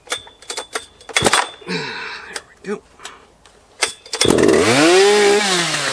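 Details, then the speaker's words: Big chainsaw (Holzfforma G660 Pro with timing advance, or Husqvarna 3120XP with new crank seals), started and revved out of the wood before slabbing: after handling knocks it fires and climbs smoothly to a high steady scream, easily hitting its limit. Normal. "Let's start it up, and let me show you, before we even go put it in the wood here, that it is, in fact, actually running right. And it does hit that high limit pretty easily."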